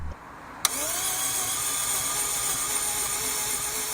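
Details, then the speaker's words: Daihatsu Cuore Avanzato TR-XX R4 (L512S), first start attempt after 13 years without an oil change: fresh oil, new filter, fresh petrol, recharged dead battery. Steady starter whirring, engine cranks and oil pressure light goes out, but no firing yet. "I was glad to find that it did indeed crank and also that the engine oil pressure light went out after a few seconds"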